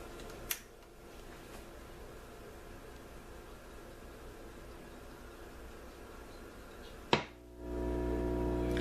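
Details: Emerson DA287 antique radio under repair, capacitor temporarily connected with jumper leads: faint click, sharp thump at switch-on, then steady buzzy low hum, caused by pickup from the jumper leads; fix is to tack-solder the part in.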